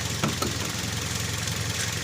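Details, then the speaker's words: Toyota Vios petrol, hard starting after sitting long, fuel pump found fine: uneven idle with a couple of sharp pops, a misfire with backfire at idle; injector fault suspected, cause unconfirmed in this clip. "yan palyado pala mga ka idol palyado pala"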